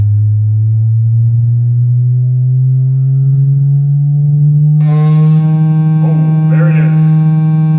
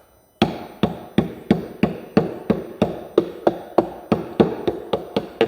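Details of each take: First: Cerwin Vega AT12 speaker playing a slow sine sweep from about 8 Hz: loud buzzing rattle suddenly joins in as the cabinet breaks apart from loud use, the same rattle heard with music. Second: Cerwin Vega AT12 speaker cabinet tapped by knuckle about three times a second; firm, dull knocks show this panel is solidly bonded, not separated.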